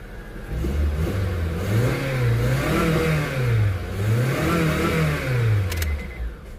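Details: Honda CR-V with hard starting and stalling, after temporary glued fix: engine picks up cleanly and settles back over several smooth rev cycles, pitch rising and falling evenly; healthy and responsive.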